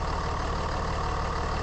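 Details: Steady mid-pitched howl over an unchanging diesel idle on a 3rd gen Ram Cummins that runs a little hot (about 210); owner suspected turbo or fan clutch, but stethoscope ruled out pumps and turbo: bad alternator bearing.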